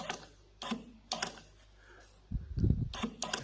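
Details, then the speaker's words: 2012 Nissan Navara V9X V6 diesel with code P0488: the EGR valve is driven with jumper power and ground, then polarity is reversed. Short whirring motor bursts with clicks show the actuator moves freely; electrical side works. "i can hear that valve's moving so i'm just going to switch the polarity of the power on earth and let's see what it does"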